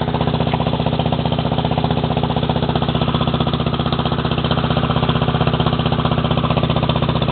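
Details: Lawn mower small engine, warmed up after a cold start. It keeps a steady, even chugging beat with no misses or knocks. It started easily after the throttle was opened a bit; the idle may need setting higher. Normal running.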